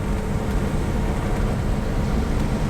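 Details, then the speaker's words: Restored 1967 Pontiac GTO Hardtop V8, trailered since restoration and rarely at operating temperature, heard from inside the cabin while cruising: deep, even rumble with no knocks or stumbles; runs perfect, normal engine while driving. "Sounds good. Runs great. Yeah, runs perfect."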